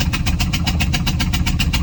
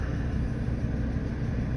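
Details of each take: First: Ford 6.8L V10 with a blown-out spark plug on the rearmost cylinder (believed number five), coil pack broken: cranks into a rough idle with loud rhythmic puffing from that cylinder. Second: Ford 6.8 V10 truck idling after repairing a blown-out number five spark plug and fitting a new Motorcraft ignition coil; deep, even low rumble with no stumble or skip while misfire data is monitored, running smooth and healthy.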